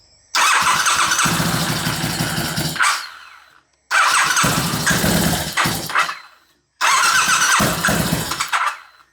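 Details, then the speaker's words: Twin-turbo bobber motorcycle with bigger injectors fitted but still on the map for the standard injectors: three short bursts, catches, runs ragged and uneven a few seconds, then dies each time; fuelling suspected badly off, not confirmed. "Nah, doesn't like it."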